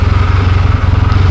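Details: Rebuilt 1972 Yamaha XS2 XS656 twin with all new seals and new battery, just started: even rapid exhaust pulses at a smooth steady idle with no knock, miss or rattle; running cleanly, normal idle.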